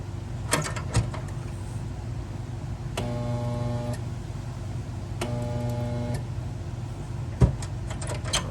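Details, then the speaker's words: Pool pump electric motor that quit working: steady buzzing hum for about a second each time power is applied but never spins up, not enough juice to start; failed start capacitor, fixed by replacing it. "See that? It's just kind of not quite enough juice to get her going."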